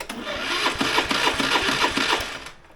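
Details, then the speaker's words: 2008 Honda Today NVS50 50cc scooter after a rebuild, with the coil done and the start solenoid plugged in: rapid even clicking, about three a second, with no cranking. Flat battery and the same no-start problem; not the start solenoid, cause not found. "as you can see the battery is flat well sorry as you can hear the battery is flat but more importantly"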